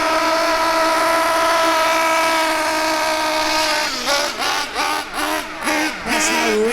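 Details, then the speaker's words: Bio Hyper 7 nitro RC car, Mach 28 engine, high-speed needle turned counterclockwise to a very rich setting: soft, burbly throttle blips, sluggish running and heavy blue exhaust smoke; poor performance and high fuel use. "that is a very very rich very very rich okay so for me as you saw there it had a lot of blue exhaust smoke"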